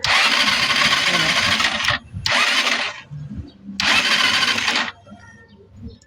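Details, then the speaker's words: Euro 150 fuel-injected scooter after a new spark plug: long starter bursts with a single stray pop and no run, crank-no-start. Mechanic suspects fuel isn't being drawn; the throttle body was found very dirty. "So ayan napalitan na natin ng spark plug. Try uli natin. Start natin. Wala pa rin siyang redundo."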